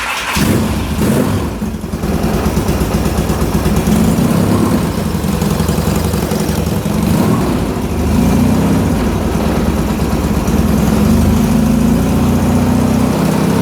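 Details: 1977 Yamaha XS650, last licensed 1990, after carb overhaul, oil, filters, cam chain, valve set, head studs retorqued, Pertronix ignition, 135/150 compression, test tank: cranks briefly, catches, steady even twin idle on choke, no knocks or misses; healthy.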